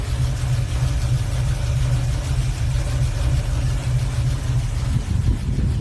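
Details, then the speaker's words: Hot rod with a Holley carburetor on an adapter plate, a poor engine ground and a dirty cable: a rough, lumpy idle with an uneven low rumble; the owner says it runs super rich at the carburetor and plans to replace it. "but uh yeah running super r at carburetor and [ __ ] but I was able to start it"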